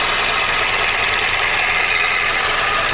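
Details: 2004 Chevy Cavalier after engine swap, at idle: fast, light, even ticking over steady idle from the front/top of the engine; owner suspects timing chain needs readjusting, exhaust tightness also questioned; not confirmed.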